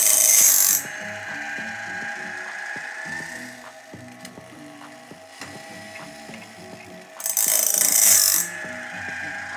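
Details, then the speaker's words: LOGOSOL Grindlux band blade grinder after feeder-arm adjustment: short bright grinding bursts alternate with steady ratchet clicks as the blade indexes, a light even grind on tooth face and gullet, correctly set; normal grinding contact. "as you can hear we are grinding a little bit on the face and a little bit in the garlic as well and that's perfect"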